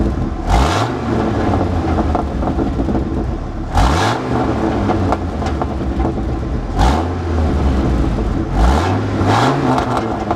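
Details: 1996 Dodge V10 8.0 ranch truck, four sharp revs each with a harsh, raspy popping crackle on the exhaust note; exhaust leak, with a cracked head or blown head gasket also suspected as it uses coolant.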